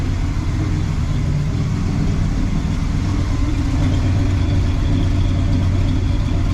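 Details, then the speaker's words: 1979 El Camino SS V8, started after 8 years in storage, idle after timing adjusted, idle lowered and a large vacuum leak fixed: even, low settled rumble with no hiss, hunting or surging. Normal idle. "that sounds a little better I would say right"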